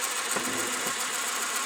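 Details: Ferguson 3V22 (JVC HR3330) top-loading VHS, mk3 mechanism, previously over-greased and cleaned: steady dry high-pitched whirring with faint ticks, a drop of oil applied to the noisy point.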